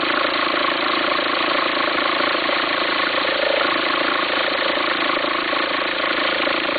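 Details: 2004 VW Passat 1.9 TDI diesel ticking over: coarse, pulsing rumble about three times a second under the clatter. Belt appears to jump when it occurs. Owner suspects a worn pulley, unsure whether to replace the pulley or the whole alternator.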